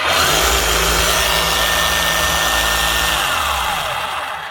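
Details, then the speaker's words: Makita HR3540C corded rotary hammer running unloaded: harsh, gritty whirr with an uneven rough edge rather than a clean motor hum; motor ruled out, worn bearings or gears suspected, brush-wear light flashing. Rough running noise. "Right, it's not a motor, but it's either bearings or gears. That sounds fairly rough."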